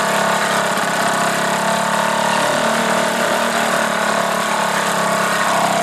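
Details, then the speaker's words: Old single-cylinder Johnson 2 HP two-stroke outboard after new piston rings, adjusted points, rebuilt carburetor, new head gasket and impeller: crisp, even buzzy beat at steady speed with no misses or knocks; normal running. "I ended up putting in new piston rings and adjusting the points on it. It's a pretty old motor, but it seems to run good now."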